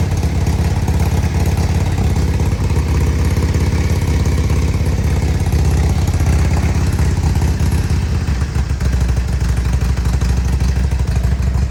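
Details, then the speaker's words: 2002 Harley-Davidson Road King FLHRSEI Screaming Eagle, engine light on, idling unevenly with skipped beats, little kicks and backfiring; misfire; carb cleaner sprayed at intake makes it rev up, revealing an intake air leak. "You hear it? Hear it misfiring?"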